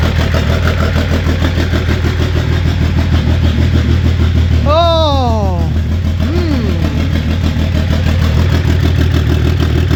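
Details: BMW M57 diesel swapped into a Renault Mascott, first start with wiring, fuel pump and exhaust in place. Steady, low, even idle with a smooth beat around three per second; runs cleanly.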